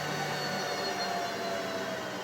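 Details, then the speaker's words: Boosted enclosure exhaust fan on a Snapmaker Artisan, swapped in for 40W laser fume extraction, set to 50% via the Luban console: a steady, even airy whoosh with faint thin tones and no rattle or rubbing. Normal fan, quieter at reduced speed. "and the noise comes down and only runs with 50% and that's great"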